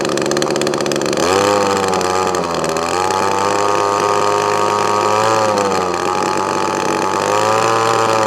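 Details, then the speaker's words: Echo ES2400 leaf blower two-stroke on a replacement HIPA copy carburetor (high-speed mixture screw only): buzzy pitch wandering up and down instead of holding steady; rough running from incorrect mixture, needs tuning. "so it does need a bit of a tune"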